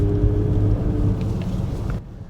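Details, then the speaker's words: 2008 Toyota RAV4 V6, transmission previously replaced under warranty, while driving: steady airplane-like whine above road rumble, drifting lower as the car eases off; ongoing transmission whine, not severe enough to warrant repair. "right now you have one makes that wine I hope you hear it let me try it again maybe a little microphone will catch it up literally sounds like a airplane taken off"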